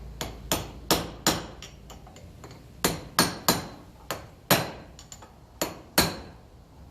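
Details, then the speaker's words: 1954 Ferguson TEF 20 diesel tractor wheel hub: about fifteen sharp hammer blows, final knocks with something harder ringing brightly, as the bearing race bottoms out fully seated. "Now I want to be careful and just give it a final knock with something a little bit harder, because it does make a bit of a ring when it's home."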